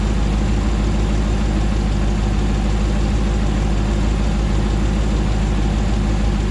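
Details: 2009 Hemi 1500 TRX4 auction truck, first start after months of rebuilding: deep, steady rumble holding even idle, no knocks, misses or hunting while warming up, no longer jerking around like before; normal idle.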